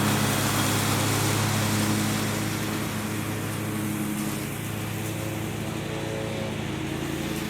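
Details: John Deere 345 mower with a Kawasaki FD611V V-twin, about 490 hours, after stage-one revival repairs and a fuel filter change. Steady, even drone holds speed as load comes on and eases, with no misfire or knock; normal running.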